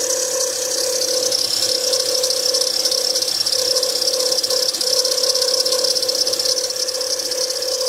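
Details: 2007 Acura TL Type S engine running with a fast, fairly regular metallic rattle over a steady mid-pitched tone: worn belt tensioner pulley bearing.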